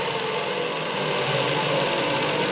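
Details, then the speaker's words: Rescued 75 x 2000 mm belt grinder after electrical reconnection: steady hissy howl with a faint high tone over the motor running noise, echoing in the housing; both worn bearings need replacing. "Unfortunately, it's still a bit too loud, but it's a matter of replacing the bearings"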